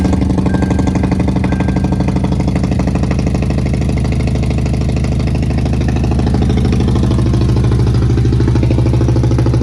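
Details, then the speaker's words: 2003 Police Interceptor V8 idling cold with a low battery, just restarted after a Cal-Van insert repair for a misfire; steady even low rumble with no stumble. "it's a little cold and the battery was low so I'm gonna let it sit here and run and get his battery charged up"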